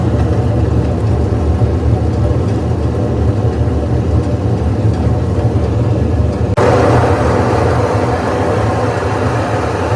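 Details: GE washer: continuous low droning airplane-like roar, steady throughout with a brief step partway; sounds like broken or worn drum bearings, unconfirmed.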